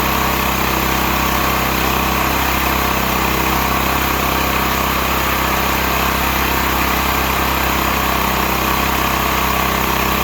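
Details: Stanley 8000 W all-weather generator, bought used after sitting four years, running in cold weather without choke; owner suspects a choke problem; steady, even drone with no surging, hunting or knocking; running smoothly.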